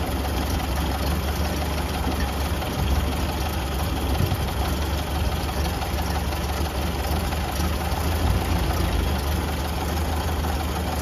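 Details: Late 1931 Ford Model A after fuel-system repair with lines reconnected and no leaks: steady low four-cylinder rumble holds even and unbroken with no misses or stumbles, running smoothly.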